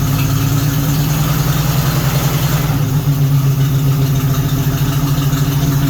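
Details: 1976 AMC Gremlin 232 inline-six that shakes under acceleration, with a failing fuel pump: uneven loping idle that keeps skipping; spark present, number 6 dead with zero compression, fuel or compression issue suspected.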